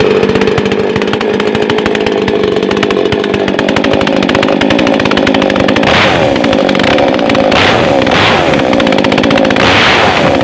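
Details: New Makita mini two-stroke chainsaw just unboxed and assembled, test-run without cutting wood after a choked start with the choke then returned. A steady high buzzing idle swings cleanly up and down with throttle bursts. Normal running.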